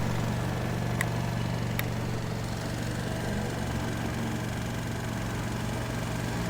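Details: Peugeot Looxor 125 4T scooter, Piaggio Leader 125 engine reportedly over 100,000 with maintenance, fresh battery, automatic choke, cold winter; low even idle thrum, no misses or rattles, settling nicely.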